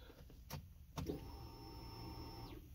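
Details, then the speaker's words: 2006 Kia Spectra, heard from inside the car at key-on: a quiet, steady high whine for about 1.5 seconds, then it cuts off. The fuel pump is priming normally, checked while diagnosing a no-start later traced to spark. "you hear that you could hear it where it started pumping like the pump was working"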